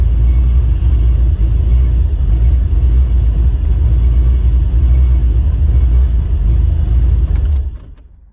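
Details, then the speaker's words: 1985 Chevrolet Corvette that sat under snow for two weeks: it labors to start, runs unevenly, sputters and dies and won't hold an idle. Fuel pressure reads 20 at key-on and about 40 running, then drops quickly after shutoff. "so as you can see the needle jumps up to 20 when i turn the key on and then it wants to go to 40 when it starts but it doesn't want to idle"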